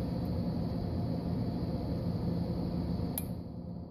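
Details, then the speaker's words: Modular ice maker (Whirlpool/Kenmore type) cycle test, jumper wire inserted into the test ports for three or four seconds: a steady hum, then one crisp click about three seconds in as the cycle starts; normal response, ice maker begins its rotation. "now I'm going to insert it for three or four seconds until we hear it click"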